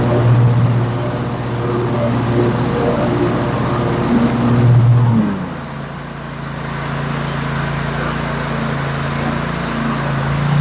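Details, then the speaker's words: Cub Cadet 54-inch mower, 24 HP Kohler twin, after ignition coil module replacement: even low drone dips briefly as load comes on then pulls back strong; previously bogged badly on PTO engagement. Fixed, normal running under load. "Well, there you have it, folks. She's fixed. Runs great, as you can see."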